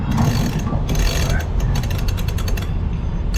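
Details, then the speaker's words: Lewmar 58ST electric winch fully reassembled after cleaning and greasing, drum turned: crisp, even ratchet clicks in quick bursts with no grinding or rough spots; sounds perfect, slightly tight at the top, which is expected for a new part. "and listen to the sound sounds perfect except this is a little tight up here but uh it's brand new so I kind of expect it"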